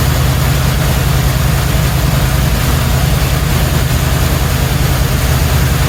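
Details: 1977 Chevrolet C10 Cheyenne, 350 four-barrel 165 hp: low, loping V8 idle with an uneven beat about three times a second, one cylinder dead; likely a flat cam lobe or lifter. Rough idle, dead cylinder.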